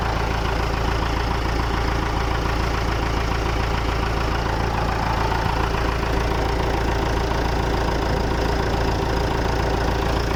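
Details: Massey Ferguson MF 290 tractor diesel started after engine repair: steady, even idle clatter with regular firing, no knocks or misses; runs smoothly.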